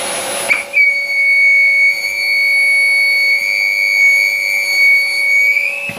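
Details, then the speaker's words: Rowenta Compact Power Cyclonic vacuum cleaner: steady high whistle over the motor hum, air hissing past a badly sealed filter; pressing the filter stops it, confirming an air leak at the filter seat. "Evet arkadaşlar buradan net bir şekilde görüyoruz ki bu sorun filtreden kaynaklı ve bunu yerinde bir Kaçak var"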